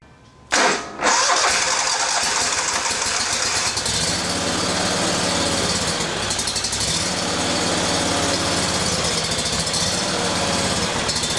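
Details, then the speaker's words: Briggs & Stratton Vanguard 37hp EFI engine, freshly serviced with fresh gas and no trouble codes. It cranks and catches, then the idle lopes, rising and falling every few seconds. The high-pressure fuel pump should put out about 39 psi. "It's got fresh gas, but it's got a lope, a distinctive surge when you first crank it up, and I'll show you here in just a second."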